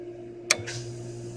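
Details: Jandy RS pool control box, cleaner pump relay being activated: one sharp click, then a low steady hum rises as the pump starts; the relay is pulling in normally.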